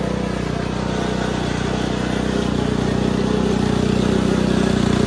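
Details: Simplicity Serf single-cylinder engine after carburetor cleaning, riding under load; loud, steady beat about four pulses a second, no misfire or surging, running well.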